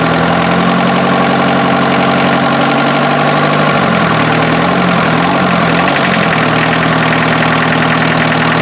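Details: Mazda offroad truck with its freshened replacement diesel engine on first run after the timing belt was fitted (owner wondered if the belt was a tooth off): steady, even idle with a low throb, no knock or misfire, no smoke from the cooling system; normal diesel idle.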